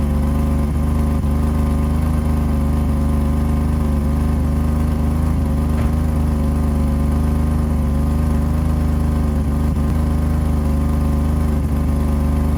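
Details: 1985 BMW 535i E28 M30 inline-six, cold start at 19°F after sitting for months; deep steady rumble with faint uneven puffing ticks from a pre-existing exhaust leak where the headers dump into the catalytic converter.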